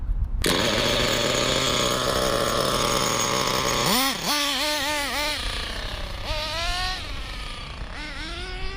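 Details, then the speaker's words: Hobao Hyper 7 nitro RC buggy with new generic clutch, restarted: loud buzzy engine holding high revs, then rising and falling howls as the car creeps off; owner thinks a sticking clutch is grabbing at idle, not a true runaway. "Yeah, I think the clutch is sticking so much it actually feels like a runaway, but it's not an actual runaway."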